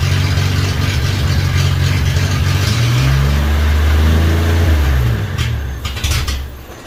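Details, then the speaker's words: 1963 Rambler, first runs after radiator replacement, earlier fed from a bottle: engine sags in pitch after a brief rise, then fades and dies within seconds, won't hold idle; owner suspects the carburetor needs cleaning. "i think the carburetor needs cleaned out because i know it doesn't like to hold an idle on its own very well"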